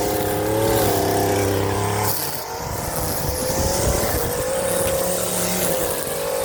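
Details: Stihl FS 56 RC trimmer after running 20:1 instead of 50:1 mix, muffler screen and spark plug cleaned: small two-stroke buzzes at steady high idle then picks up cleanly without sputter; normal running.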